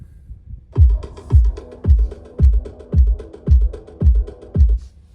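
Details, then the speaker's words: Tesla Model 3/Y front left door speaker playing bass-heavy music: heavy bass thumps about twice a second, each with a buzzy door rattle. Loose, untied cables inside the door are suspected. "the front left uh door speaker uh the big one uh every time it goes with the beat there's a rattle noise"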